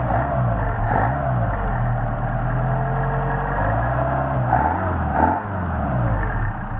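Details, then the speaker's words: Mercedes 190SL engine on re-tested Solex 44PHH carburetors, no load: catches and holds a steady, even low idle around 800–900 rpm, deliberately set low, with light throttle swells and no misses. Normal idle. "These are around 800-900. They're a little low. I always ship them out low, just people can get them to whatever idle they would like."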